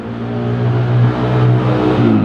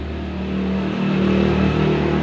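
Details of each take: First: Honda Grand motorcycle found completely out of oil, smoking badly: engine revs with a coarse, rattly drone that never smooths out; oil starvation damage, connecting rod confirmed affected, piston, rings and liner suspected. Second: Honda Grand motorcycle, rebuilt after running low on oil, with the cam chain changed from KWB to GN5 and a new gasket: rough noise gone, even run with a smooth low hum from the new cam chain, expected to fade with use.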